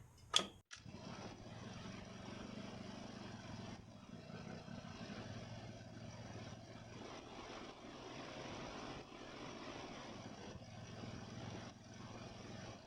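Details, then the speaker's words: Ariens mower with Nikki carburetor, after carburetor cleaning and rebuild (problems with cheap Amazon rebuild parts), second start: brief start, then a steady, even low drone with no hunting; runs smooth, responds to throttle, little or no surging. "Wow yeah that's just miles difference from where it was it runs smooth it responds to throttle changes very little surging if any at all yeah I'm happy with that"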